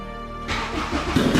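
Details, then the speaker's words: Honda Jazz with a Honda Civic Type R K20 (K20A/K20A2) engine swapped in, first start after fixing bad earths (ground) that had prevented starting: the engine catches within half a second and settles into a steady, even, healthy run. "let me tell you I am so relieved that that started let me show you what the problem was it turned out to be the Earths all along"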